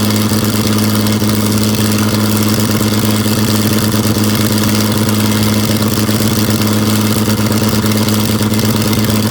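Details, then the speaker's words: Abandoned John Deere 55 parts tractor, unstarted for about 9–10 years, gasoline bottle-fed: a lumpy, slightly uneven low idle with a steady thump. It runs but is a little rich after long storage. "oh well i'm pretty excited that thing doesn't run too bad for sitting that long she's a little rich yet but i guess that's not the worst thing that could happen"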